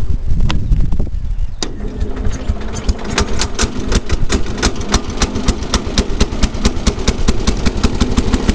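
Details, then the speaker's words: 1974 Cub Cadet garden tractor with a single-cylinder engine, thought to be 14 hp: after a couple of tries it settles into an even, steady thump with crisp, regular exhaust pulses, running good. "this Run's good"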